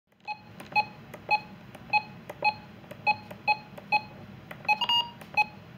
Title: Radio Glitch | RadioShack 12-262 Button Beeps Sound Like a 12-261